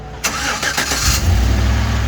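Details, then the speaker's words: 2013 GMC Sierra after installing new catalytic converters: catches and settles into steady even idle, low rumble, no exhaust leak or metallic buzz, only fans heard. "Let's see if it sounds like a tractor. Woo! Nice and smooth. Shit, yeah. There you have it. No exhaust leak. All you hear is those fans."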